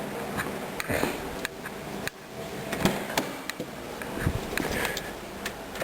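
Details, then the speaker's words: 1998 Subaru Legacy Outback idling: sharp clacks over a low hum, about one or two a second, like lifter noise; owner suspects valve clearance, but the later check found it did not need adjusting. "Okay, so this is a 1998 Subaru Legacy Outback, and I've been noticing over time there's this loud clacking. It sounds a little bit like lifter noise. Not exactly sure what it is, but I'm going to try to see whether it's the valve clearance."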